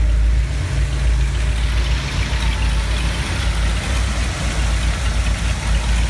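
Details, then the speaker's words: 1970 Ford F250 V8, slightly warm, after scraping and sanding corroded terminals that caused a high idle and stalling: deep, steady, even idle with no misses or rattles; normal after repair. "so now the engine runs really well I'm going to crank it over for you I already got the engine running this morning so it's a little bit warm and so it should crank right over"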